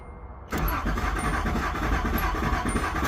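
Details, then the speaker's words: Nissan Z31 with FuelTech ECU and DIY 12-2 trigger wheel, before first start: brisk, steady starter churn at an even pace for about three seconds without firing; good cranking RPM and crank signal. "So we got good RPM. So that tells me, I think that we're actually ready to start it"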